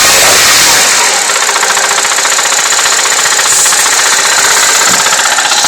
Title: Стук в двигателе